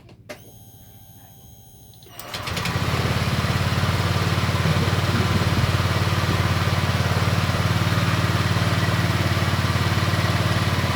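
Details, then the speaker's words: Honda Vario 125 LED after a resistor was fitted in the EOT sensor connector: the starter whirs and the engine catches in about two seconds, settling into a steady, even idle. Throttle response is now better than before. "oke mas bro mantap hanya dikasih resistor pada sensor eot Ini sensor eot saya kasih resistor seperti ini Sehingga tarikan lebih responsif beda dari yang tadi"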